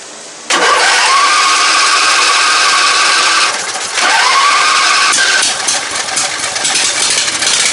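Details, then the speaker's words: Ride-on mower "John Man" after swap from a 12.5hp Kohler single to a 22hp 670cc Briggs & Stratton V-twin with custom headers to Yamaha V Star dual exhaust: cranks briefly, fires right up, settles to a steady even idle with a quick blip; starts and runs healthy. "That dirty old slip fired right up. So, let's do this again. All right. She's a runner,"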